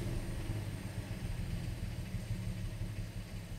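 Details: 2013 BMW 3 Series F30 N55 petrol engine idling low and lumpy with an uneven stumbling rumble; mild misfire, rough idle with code 101F01 after fixing hard start and stalling (codes 1F1A91, 119404), fuel system suspected.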